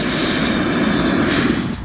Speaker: so you'll hear the hissing first and then when I use a lighter the sound will change into a bit more of a blowtorch e-type sound